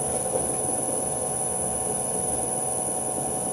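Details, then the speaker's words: Hundred-year-old bench lathe motor on a frequency drive with torque compensation raised from 0 to 30: steady drone with high whine and rough, buzzy low end; more rumble and vibration, felt on motor and wooden bench. "now I'm going to change the the torque compensation setting to 30 and that's 30 the sounds has definitely changed and there is also a bit more vibration"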